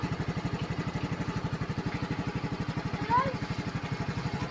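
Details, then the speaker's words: Yamaha scooter that wouldn't start after riding through flood water, now running after drying kill switch and side-stand sensor contacts: steady even putter about four beats a second at idle, no misses; it idles cleanly. "So okay na to."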